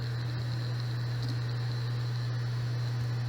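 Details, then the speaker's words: Hard disk connected via docking station to computer: steady low hum of the spinning motor, drive runs but is not detected by the computer. "सो यहां भी motor चल रही है hard disk की motor होती है अंदर जो चल रही है पर यह कंप्यूटर से कनेक्ट नहीं हो रहा"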